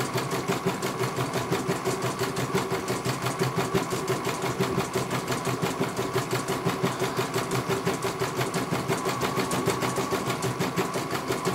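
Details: CNY computerized embroidery machine test-stitching. Even, regular needle clatter at about three strokes per second, no knocks or grinding. It finishes one color and the technician calls it very good.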